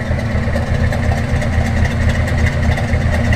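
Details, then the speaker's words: First-gen project truck, newly bought, starting right up and idling normally: throaty steady exhaust pulse about four beats a second, no knocking. "truck starts right up as I was telling you guys previously the truck sounds pretty good for what's not for a power plant"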